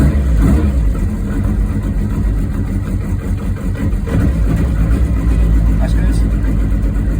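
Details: Ford Escort Mk2 rally car that randomly wouldn't start (owner suspects wiring/earth; oil feed pipe checked), starting while watching oil pressure: deep, steady engine note holds after firing, no misses, knocks or rattles; running normally.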